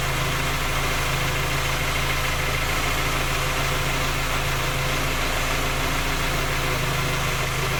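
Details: Skoda Octavia A5 facelift 1.6 MPI, engine knocking when cold despite three engine repairs that did not find the fault: steady idle with light, irregular tapping under the engine note; source not pinned down.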